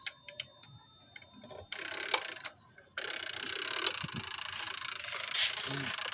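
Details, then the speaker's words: Konka single-tub manual washing machine, completely dead: timer set to drain and then fill clicks and ticks, but there is no motor hum and no response at all. "menyala, tetapi tidak ada yang menyala, tidak ada suara dengung. Baiklah, itu sudah cukup. Kami sudah menyetelnya untuk mengisi air, namun tetap tidak ada respons sama sekali."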